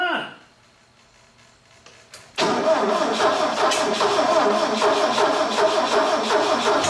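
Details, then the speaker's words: Bobcat 632 engine just rebuilt with a new piston and rings, run briefly without coolant: it cranks, catches and runs roughly with uneven chuffing near three a second; ignition timing off, the distributor cap was found 180 degrees out. "that sounds like timing"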